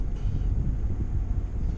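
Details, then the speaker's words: 2011 Ford F250 on the road after tie rod replacement: steady low road rumble and wind buffeting with no clunks over bumps; the clunk heard for about a month before is gone, alignment still pending. "kind of got used to it now it's gone nice and quiet now"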